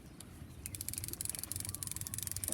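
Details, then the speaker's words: Champion Arctica 3000 baitcasting reel in good condition being tested: winding gives only a fast, even, low-level fine clicking with no grinding, and it stays quiet when casting. Quiet and working normally. "สภาพดีใช้ได้เสียงเงียบครับเนี่ยหมุนน่ะได้ยินแต่เสียงแต๊กๆๆๆอ่ะตีออกยังเงียบ"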